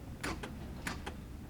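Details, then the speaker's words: 2003 Corvette Z06 driver's door lock that unlocks fine but won't lock: three quick double clicks about 0.6 s apart come only from the passenger door; the driver's actuator arm barely moves when locking, too weak to lock. "but you can hear that the the passenger door is working over there but nothing's happening in this door"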